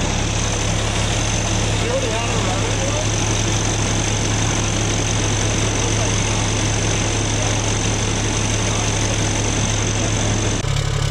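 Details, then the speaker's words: Kenworth C500 heavy diesel idling after cleaning fine metal shavings out of the housing following a turbo ingestion; steady low rumble, no knocks or rattles, sounds normal apart from the exhaust. "It's a Sounds good. Minus the exhaust."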